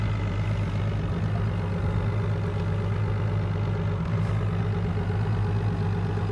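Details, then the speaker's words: 2015 Whitmarsh RS7 RIB with Evinrude G2 E-Tec High Output 200 hp petrol outboard idling at the console: steady, even low rumble with no knocks or misses, sounding healthy as it should. "I've started the engine so you could see the revs running on there, just so you can hear it and see that it's all as it should"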